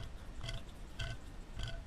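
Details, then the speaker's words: Tormach CNC mill worn Y-axis ball screw, removed and turned by hand: gritty, uneven crunching surges about every half second, rough and rusty, completely worn out; being replaced with a new screw. "that sounds terrible I haven't done this yet I just opened it up"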